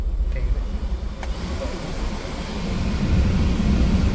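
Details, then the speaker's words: 2010 Suzuki Alto at idle with AC on, after a leaf and dust were cleaned out of the blower fan that had made a loud noise at high fan speed: even airy blower rush, no rattle or vibration; normal blower fan. "വേറെ vibration സൗണ്ടോ അങ്ങനെ കാര്യങ്ങളോ ഒന്നുമില്ല അപ്പൊ ആ blower fan അകത്ത് ഉണ്ടായ ഇല ആയിരുന്നു എനിക്കുള്ള പ്രശ്നം"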